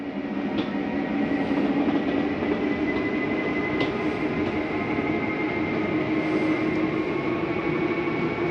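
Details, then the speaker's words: Normal slide-out retraction in an Open Range 2710RL RV: steady motor whine with gear hum underneath, even throughout with no grinding or catching; the end noise is the mechanism stopping itself from coming in further. "okay to hear that noise it's just a slide mechanism telling itself not to come in any further"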